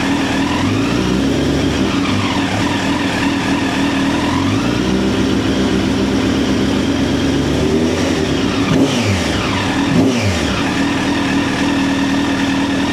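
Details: 2009 Honda CBR1000RR Fireblade at 61,211 km, started with a jump pack: steady idle, then smooth quick blips; sounds healthy with no misfire.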